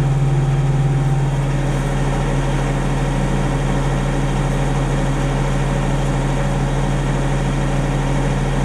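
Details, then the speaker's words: Denyo DCA-15SS-N genset, 1.6 L 3-cylinder Nissan diesel (18 PS at 1500 rpm), over 30 years old, warmed up after its first start in years and no longer smoking: steady even low thrum, no misses, knocks or hunting; normal warm idle. "it's warmed up it doesn't smoke anymore although it wasn't really smoking one machine that's more than 30 years old listen how it first okay friends that's all I guess it's running perfectly"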